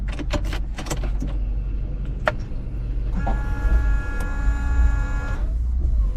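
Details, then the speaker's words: Fiat 500 rear screen washer: after a few clicks the pump whines steadily about two seconds but no fluid reaches the jet; the pipe had come off under the scuttle cover; detached rear washer hose. "now the motor is running [Music] and I can hear the sound of flowing water but nothing is coming out this end"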